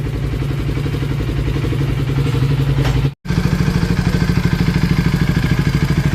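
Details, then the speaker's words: KTM Duke 250 single-cylinder engine after full inspection, repair and reassembly, revving: clean even firing beat with no knock or rattle; the earlier engine noise is gone and it runs normally. "एकदम silent हो गई है। अब कोई आवाज नहीं है। बिल्कुल फाइन कंडीशन।"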